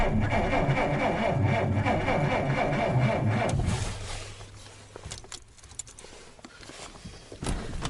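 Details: 1947 Dodge failing to start over several days: steady starter churn about three and a half seconds with no firing, then stops; cranks but no start, owner suspects electrical problem, cause unconfirmed.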